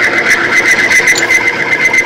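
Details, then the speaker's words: Timken OK load test ring in Cerma 10W-30 oil with STM-3 additive, loaded past its 12-weight rating until it seized and stopped, weights then removed: loud steady high-pitched scraping squeal, grinding as it recovers before quieting. "there she goes again now she's seized right it stopped 100%"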